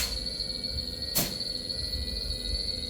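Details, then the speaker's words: Gree inverter AC outdoor PCB on test setup: compressor starts and hums with steady high-pitched drive whine, while outdoor fan motor only jerks clockwise and anticlockwise with a sharp clunk, not spinning up; fault traced to IPM bootstrap circuit. "Outdoor की जो motor है वो भी start होने की कोशिश कर रही है। यह अभी झटके ले रही है।"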